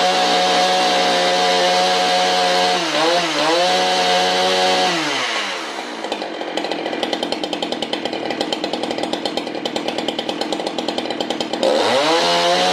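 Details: Husqvarna 395XP chainsaw with 58 mm big-bore pop-up piston and cylinder kit, aiming for about 11,800 rpm wide open and about 2,900 rpm idle: steady idle, winds up cleanly to crisp even wide-open scream and drops back without stumbling; healthy.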